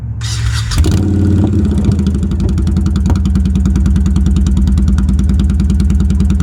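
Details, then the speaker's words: Honda Shadow motorcycle after new spark plugs and a homemade heat-shrink repair of a broken plug boot/wire: engine catches after a brief crank and settles into a steady, even beat with no misses; normal running. "after you get your pugs installed go ahead and test fire it up and it should run pretty good"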